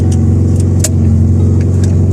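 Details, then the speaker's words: Loud, raspy, aggressive low drone at cold-start idle from a car with an exhaust leak: a hole left where the middle muffler box was removed, before the exhaust was welded and aligned. "Today, I need to go fix an exhaust leak because where I took the muffler out, the middle box, there's a hole now there. So now the sky is sounding really aggressive."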